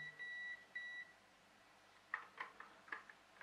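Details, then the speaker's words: RC speed controller (ESC) powered by two CR2032 3V coin cells in series (6V): a few high beeps, then weak ticks and a high-pitched whine with no motor spin-up; the receiver works but there is too little current to drive the motor or servo. "that's the receiver is operating but there's not enough power here to drive the motors in fact it's struggling and you can hear that yes see that high-pitched whine that there's not enough power there to operate the servo and not enough power to drive the motor"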